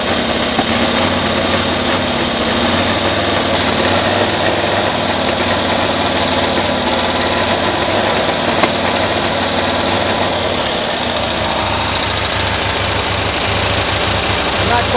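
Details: 1972 Cushman Truckster small petrol engine with new ignition coils, recorded around 8 °C: spark now looks more consistent but it runs the same, with a steady, slightly ragged beat and misfiring around 3000 rpm, never revving out cleanly; cause still unknown.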